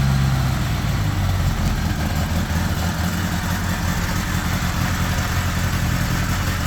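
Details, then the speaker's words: 1975 Honda GL1000 Gold Wing flat-four after water pump reinstall with new gaskets and O-rings, cold on choke: steady, slightly fast idle with an even low beat and no misses, no coolant leak. ">> That sounds pretty good right there. Idling a bit high, but the choke's still on."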